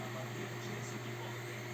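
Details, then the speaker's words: Desktop PC after the CPU cooler fan was cleaned and lubricated, previously howling loudly: soft, steady low hum with an even airy hiss and no rattle. The cooler fan now runs smoothly and much quieter. "сейчас делаем старт Вуаля ничего не слышно О вот он Ну поверьте он в два раза гарантированно работает тише"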